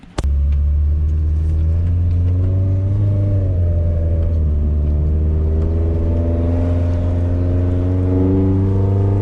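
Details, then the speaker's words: 5th-gen Honda Prelude test drive after replacing the fuel filter: engine drones up slowly under throttle, pitch climbing only gradually and never pulling hard; still bogs down with little power, so not the fuel filter; cause unconfirmed. "Still bogging down. Still bogging down, so it's not the fuel filter."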